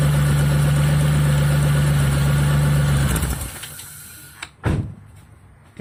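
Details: Petrol engine with P0401 code, EGR lifted via scan tool to create vacuum leak; steady, even idle for three seconds then shut off, no stumble despite open EGR port, pointing to a blocked EGR passage.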